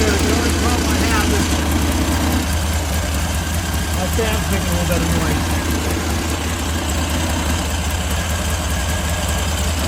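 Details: Long-stored VW Beetle flat-four mystery motor, sitting 30+ years, with a Holley carburettor; steady, even idle beat with no knocks or misses. Running normally after the long storage.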